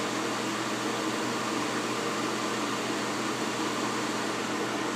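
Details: Soleil space heater, dropped, broken fan blade repaired: after switch-off the fan blows on with a steady even rush and low hum, no rattles or scraping, while the temperature readout counts down. Normal cool-down run-on.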